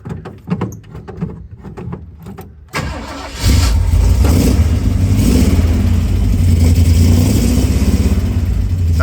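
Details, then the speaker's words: 1966 Ford Bronco U13 barn find on a temporary gas tank, new exhaust, cold start with choke pulled: a few quiet clicks, then cranks and catches at once into a steady, deep, even rumble; starts fine. "pretty different there we go chokes all the way on and they're rattling a lot but it's running just a little bit"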